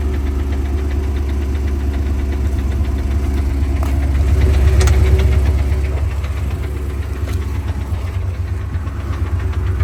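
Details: Porsche 928 at idle: light regular clicking about three per second from the transmission; noise goes away with the clutch held down and in some gears.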